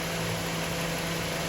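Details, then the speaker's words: Toyota Corolla GLi after fuel pump change and tappet (valve) work, started and idling at night: steady, even idle hum with no ticking or knocking from the valvetrain; engine runs smoothly, quiet like new; normal idle. "माशाल्लाह VIP sound हो गया गाड़ी का ये आप देखें गाड़ी start खड़ी है"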